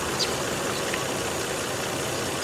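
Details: Car nearly at operating temperature after restart following 11 days sitting and odd cranking: quiet, steady idle with even hum, no knocks, stumbles or surging; normal idle.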